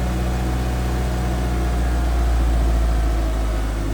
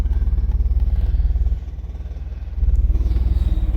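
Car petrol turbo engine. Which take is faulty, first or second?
second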